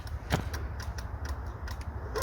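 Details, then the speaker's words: Peugeot being hot-wired around the immobiliser, with a faulty fuel pump: a few sharp, uneven clicks with no cranking; wiring apparently shorting, serious wiring fault suspected. Ignition clicking, no crank. "what the hell it's just clicking we've got a serious wiring fault going on here"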